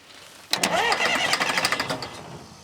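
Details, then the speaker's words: Sawmill wheel loader diesel that sat 20 years, first start attempt: starter spins engine about a second and a half in quick uneven chugs, never catches; cranks but won't start, seems not getting fuel, one injector later found seeping. "I don't think we're getting any fuel. Man, it sounds like it wants to, don't it?"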